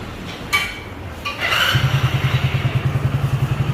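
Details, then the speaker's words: Hero Splendor BS6 single-cylinder engine after being washed out and refitted following damage: a few clicks, then starts and settles into a steady, even thump of about three beats a second; normal idle. "Sound काफ़ी ज़्यादा अच्छा है इसका, और ये sound जो है natural sound है, बिल्कुल"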